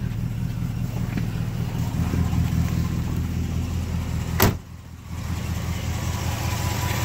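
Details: 1969 Buick GS California with the 280hp 350 V8, Turbo 350, very low miles, oil pressure almost 40: a deep, steady, even idle with no knocking or ticking, and only a little condensation from the exhaust.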